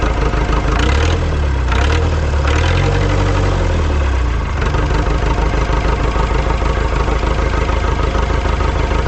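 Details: Ford 2701E 4-cylinder 240 ci IEL diesel log loader, running after 15 years of sitting and bleeding air from the fuel lines: a few early revs, then a steady low chug with no misses; normal diesel idle.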